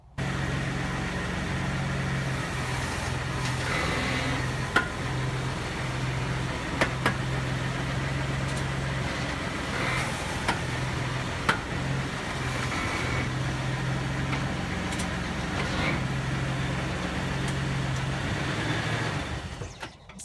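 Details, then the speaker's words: 1994 Toyota Land Cruiser: sharp, irregular pops and clicks over a low engine rumble when turning under load, from a worn front Birfield (CV) joint, before replacement. "that's what it sounds like when um when the burfield joint uh starts going bad and starts popping"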